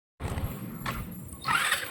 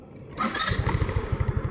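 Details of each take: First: Rusi Rapid motorcycle unused two years, now fitted with a D-type carburetor: several weak cranking bursts without added fuel before it catches into a rough, uneven low idle; hard starting, carburetor found rusted in the jets with moss in the diaphragm. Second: Rusi Rapid GY6-type scooter, unused two years, after cleaning its rusted carburetor: short crank, catches first try and settles into an even, steady idle; idle now stable, no longer stalls after throttle release.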